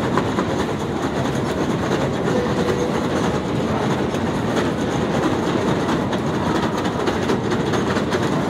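Steady, fast rattling clatter runs evenly through the whole clip with no letup; a noisy escalator, cause not evident.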